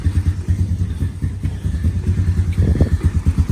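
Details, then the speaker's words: 2012 Honda Recon electric-shift ATV, sat over six months, started without choke at 58°F, running off the magneto, no smoke. A steady, even single-cylinder thump of about three beats a second with no knocks or misses: normal idle. "try started right up that's amazing no smoke running off the magneto"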